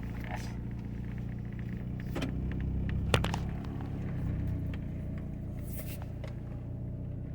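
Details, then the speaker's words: Car under way on first drive: low, rumbling engine note with an uneven, stumbling pulse pulling away; still misfiring despite the seller's claim of a fix; runs rough like a tractor and nearly stalls off the gas. "Still sounds like it's misfiring. Guy said he fixed the misfiring, but I don't know if I believe that."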